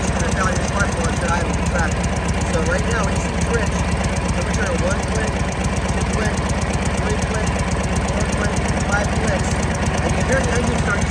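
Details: 1937 Harley-Davidson Knucklehead V-twin, Linkert carburetor, breaker points cleaned, idle mixture being adjusted: steady loping idle with even firing pulses and mechanical clatter on top; normal idle.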